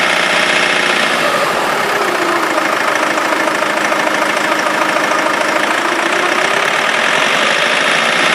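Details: Rover 45 2.0 D saloon diesel, 101 hp: steady running with a busy rattling clatter about three beats a second, heard for a few days, owner thinks from the engine; unusual engine noise, cause unknown.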